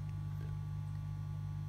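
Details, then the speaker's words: Pro-Ject Essentials II turntable into Pro-Ject Phono Box preamp on an unearthed DC adaptor, with the ground cable removed: loud constant 50 Hz mains buzz through the speakers, much louder than when grounded; ground loop hum caused by the unearthed phono stage. "the bus is suddenly a lot louder right and just to prove that the bus has nothing to do with with the turntable itself"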